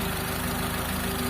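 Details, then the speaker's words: Carbureted car engine after carb tuning, now one-click starting instead of hard starting: quiet, steady idle with a soft, regular low pulse and no misses or knocks, very quiet; healthy, smooth-running engine. "yan mga boss walang palag yung makina natin tapos ayan umaandar yan oh umaandar"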